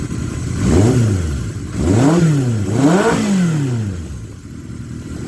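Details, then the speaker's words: 1978 Kawasaki KZ650 motorcycle, started after about 20 years sitting, carb jetting nearly dialed in, windy outdoors: three quick blips rise cleanly and drop straight back to idle without stumbling or hunting; great throttle response, smooth idle. "just got great throttle response, and it idles smooth as silk."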